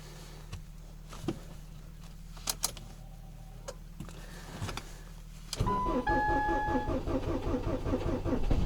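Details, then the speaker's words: Ford Focus, 5W-30 Ford Formula oil, cold start around −24 to −29 °C after standing 5 days, 2-year-old Akom 60 Ah battery, clutch held: clicks then slow even cranking about three seconds without catching; owner suspects non-0W oil; cranks, no start. "Не заводится, потому что залито не нулевка."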